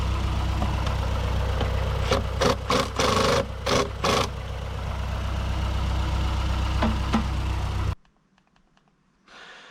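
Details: 2008 Mazdaspeed 3 turbo petrol idling after CorkSport high-pressure fuel pump internals install, before road test: smooth, steady low idle with a few handling clunks before shutdown; sounds healthy.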